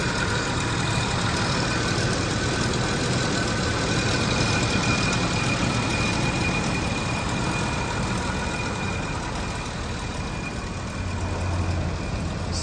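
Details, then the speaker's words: 1987 Jaguar XJ6 six warming up after a cold start at about 85°F ambient, injector side then exhaust: smooth even idle with steady low hum, smooth exhaust burble, no knocks; healthy. "just running nice and smooth you're on the injector side more clicking beautiful smooth verbal out of that exhaust"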